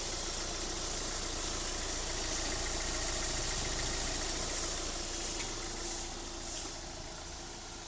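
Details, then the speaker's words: Hyundai Creta 1.6 diesel after replacing faulty diesel regulator valve (DRV) with a used one and bleeding air, to cure engine knocking and late starting; smooth start and even diesel idle clatter, no knocking; normal diesel idle. "Engine का sound starting बिल्कुल smooth हो गया है। ये engine of, ignition on, गाड़ी start. Check कर सकते हैं आप इंजन का साउंड।"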